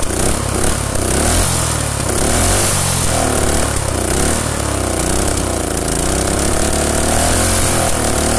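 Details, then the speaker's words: Rusted Predator small single-cylinder engine run with no head gasket, after running a while: revs unevenly with a rough, chuffing exhaust note and irregular pops; gas blowing out the side of the head, with backfiring. "yeah it's definitely starting to leak right there blowing out the side of the head right there"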